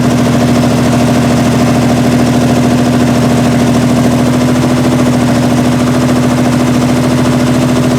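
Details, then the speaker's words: 1968 Triumph TR250 engine first start after body-on-chassis restoration: loud, lumpy, unsteady idle with wandering beat; needs carb linkage and timing adjustment, loose linkage and distributor gear repositioned, suspected causes not confirmed; rough running. "all right so it runs and obviously needs a lot of adjustment as far as the linkages to the carbs are concerned as far as the timing is concerned so we'll work on that but at least it starts"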